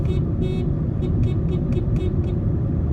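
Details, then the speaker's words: 2013 Honda Civic at 50,000 miles, driving with the engine running: two longer honks then six quick taps; the horn sounds thin and weak, weaker than the original horn. "It is weak it is weaker than the one I originally had."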